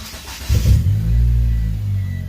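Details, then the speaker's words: Mitsubishi Eclipse GSX 4G63, complete cold start after vacuum leak fixed; engine catches and holds a steady low idle with no pedal, no stumbling or hunting, running normally. "Not touching the pedal at all. There it is. Keeps itself running just fine."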